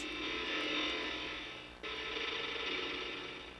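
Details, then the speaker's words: Macintosh Classic II logic board at power-on; high-pitched buzzing whine with rough chattering edge, dropping and returning. Abnormal electronic noise at power-on, cause unknown. "kind of a scary noise but yeah that's what my classic two motherboard does"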